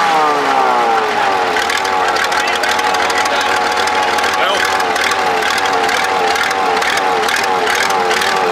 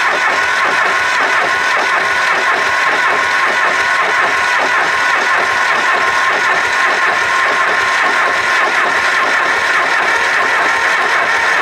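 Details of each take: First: Supercharged Cummins diesel tractor after fitting a different injection pump: rises from start into a steady, even run with no knocks or misses; sounds healthy. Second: Supercharged Cummins diesel tractor after fitting a different injection pump: it turns over steadily in an even rhythm but never fires; they suspect it is still bleeding and drawing air somewhere.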